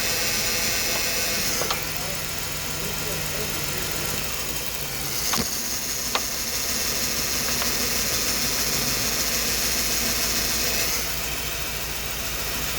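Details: Ford Taurus, cylinder 6 during a spark check against misfiring cylinder 5: the petrol engine idles evenly with a light steady ticking and hiss, and this cylinder fires normally.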